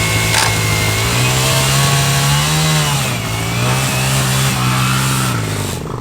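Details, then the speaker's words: Motorcycle, a buzzy single, revving unevenly with pitch sagging under load: the engine keeps bogging out once kicked into gear, and grinds going into gear; cause not identified. "It doesn't want. Once you kick into gear, it just keeps bogging out."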